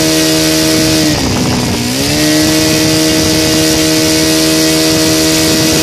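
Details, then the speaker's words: Saito FA 125 model engine with CH Ignitions CDI glow conversion, 15x6 prop, timing 30° BTDC, full throttle about 9,500 rpm (idle ~1,100-1,200): steady high buzz, one brief pitch dip that recovers; normal full-throttle run. "it goes up to 9 500 rpms when i seen it idle right now i think it's somewhere around 1100."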